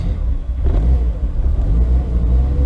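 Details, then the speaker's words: VW Corrado on first startup in years (build begun 2014), no tach, owner hoping the thermostat works: cold idle is low and lumpy, surging and sagging while blipped to stay alive; it won't idle or drive but starts. Rough cold idle, cause unknown. "It's kinda sounds like not so great. God damn. Does not want to idle or drive."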